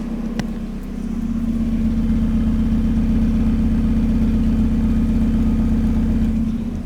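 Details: Second-hand Mazda MX5 started and warming before an oil change: cold start settling into a steady even idle with a deep throaty exhaust burble, no knocks or ticks; sounds healthy, normal idle.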